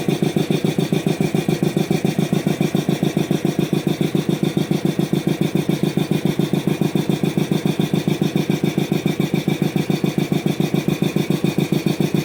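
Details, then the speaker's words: Old DeVilbiss 445 compressor being restored, run briefly without inlet air filter, its motor unused for years: very even thumping about three and a half beats a second over a low hum; motor sounds odd, cause unclear. "Hmm. Almost sounds like the motor is making some weird noises. Um, it's been years since I've actually used that motor."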